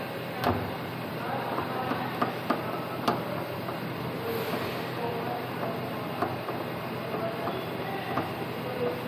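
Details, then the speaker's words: Samsung washing machine spinning at 700 RPM before repair: steady high-speed spin rumble with sharp irregular knocks and rattles; the spring basket mount's screw holes were worn, loosening the drum suspension, fixed by taping and tightening the screws. "और जैसा कि आपने देखा कि हमने आपको दिखाया इसका फॉल्ट, इसका जो ये स्प्रिंग बास्केट होता है ना, ये वाला, इसके स्क्रू की जगह ख़राब हो चुकी थी तो हमने इसके स्क्रू पे टेप चढ़ा के वो इसमें टाइट कर दिया है और अब ये मज़बूत है।"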